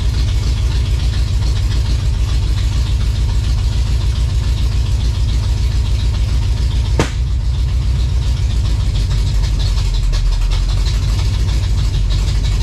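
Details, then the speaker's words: 1956 Chevy V8 hot rod, first runs after revival, high-stall converter; loud, lumpy idle with an uneven stumbling beat instead of a smooth rhythm; owner hears a definite miss, cause not confirmed. "while she runs uh sounds like it's got a miss for sure so that's a bit of a concern"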